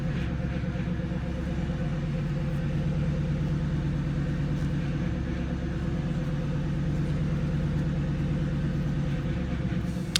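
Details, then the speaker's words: Ford Mustang engine idling while bleeding power steering after nylon washer leak repair, wheel held at full left lock; steady low groan from the pump building pressure, normal during bleeding while fluid is topped up. "All the way to the left. Yeah, let it do that current, let it do that noise to get pressure."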